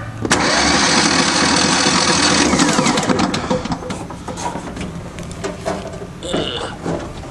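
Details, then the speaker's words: Craftsman DYT 4000 riding mower: the starter spins fast and light at about four even beats a second, never firing, then winds down. There is no compression on either cylinder; it needs a rebuild unless the block is broken. "okay listen to that no compression whatsoever on each cylinder so it'll be a rebuild unless the blocks broke"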